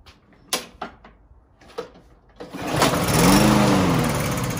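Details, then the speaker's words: Landboy pull-start lawn mower refusing to start: a few pull-cord rattles, then a short rough burst after starting fluid is sprayed in, then it fades; brief firing on starting spray only. "esta mire eso funciona un poquito y ahora mal spray un poquito de spray ahí del del start influye y ya arrancó"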